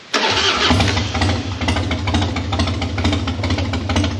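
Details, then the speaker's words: Harley-Davidson Dyna after carburetor clean and seal replacement (one jet found clogged), slightly warmed up, no choke, no throttle: catches at once and settles into an even, loping V-twin idle with no stumbling or misfire; normal warm start. "Now it's not running too bad."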